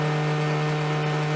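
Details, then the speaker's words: 200 W motor of a remote-control car running at full speed on an H-bridge power test, drawing about 1.5 A from a bench supply, transistors staying near 25°C; steady even hum with clean fixed tone, no rubbing or rattle; normal running. "agora que o motor partiu nós vamos aguardar um tempo com ele na velocidade máxima para verificarmos como vai se comportar a temperatura nos transistores"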